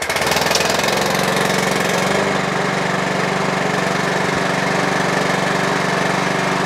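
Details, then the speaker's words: Mountfield HP42R mower after throttle cable box repair, new air filter, sharpened and balanced blade, started on choke: catches and settles into a steady, even note with no misfire or hunting. "Okay, so that's a Mountfield HP42R now all up and running."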